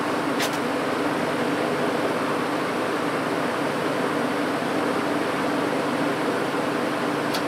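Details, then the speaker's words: 1950s General Electric automatic reversible box fan, before cleaning, reversed on high. Steady even airy rush, faint low hum, no rattle, scrape or wobble; running fine. "I'll reverse it and run it up to high and we'll start on hot here we go"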